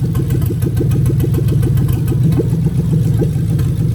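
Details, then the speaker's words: 2000-2003 Lexus LS430 3UZ-FE VVT-i V8 on a new engine harness test, injectors unplugged one at a time at idle. A steady, lumpy, loping beat marks the misfire of the dead cylinder. "I'm going to go around to each injector and I'm going to pull it off one by one. And therefore you're actually going to hear the engine misfiring."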